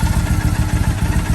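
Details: 2007 Triumph Bonneville T100 twin with the carb sync deliberately altered for a SynX tool test: lumpy idle with uneven, loping exhaust pulses, one cylinder beating harder than the other; carbs out of balance.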